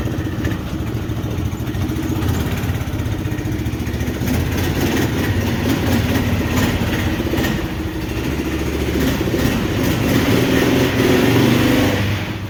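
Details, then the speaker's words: 400 big-block V8 in a long-bed truck, just reassembled after head removal to repair exhaust bolt holes, idling outside: steady low rumble, even and unbroken with no knocks or misses. "i'd say the carburetor is probably pretty good on it right now it runs pretty decent now yeah the starter just sucks"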